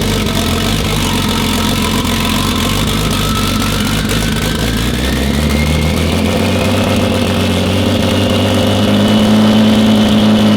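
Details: BMW E36 turbo six with oversized Precision 6062 turbo, running after a new ECU tune was loaded following an over-fuelling first start: steady, even idle while a faint whistle climbs in pitch, a clearly changed engine note.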